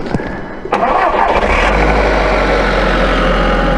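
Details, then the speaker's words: Audi TT mk1 first startup after an oil and filter change: cranks and catches within a second, brief top-end lifter clatter while the oil filter fills and pressure reaches the top of the engine, then a steady even idle; normal. "On initial startup, the oil filter has got to fill up. While it's filling up, it will be noisy, so don't worry about that. That's just part of the oil pressure system."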